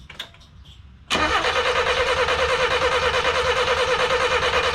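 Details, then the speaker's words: 1988 Festiva after a Weber carburetor swap, first start attempt after 13 years sitting; sounds like a lot of fuel and spark seen. Steady starter cranking at about three beats a second with no catch or sputter; crank, no start, possibly flooded. "ooh that sounds like a ton of fuel okay well maybe she's flooded you think she would have at least gave a small sputter of life right"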